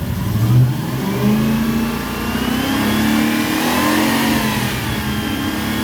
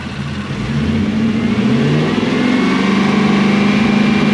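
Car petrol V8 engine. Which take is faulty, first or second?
first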